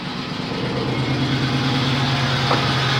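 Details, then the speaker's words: Pontiac 3800 V6 with P0171 system-too-lean bank 1 and misfire codes: uneven, loping low idle; suspected upper or lower intake vacuum leak rather than head gasket, not confirmed. "this is a code kind of point in the direction of an intake problem over a head gasket and then there's more misfires so those are codes that I'm getting so we will start the car and you hear it for a minute"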